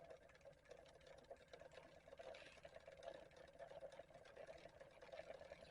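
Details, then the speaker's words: 3D-printed pulse motor with Ferris-wheel rotor, Hall sensor and adjustable pot: quick, even clicking from the coils beside the rotor, pulses steadily speeding up; running normally. "I'm really surprised that the coils will work like that just sitting next to it it even works like this which is that doesn't surprise me you can hear it speeding up big"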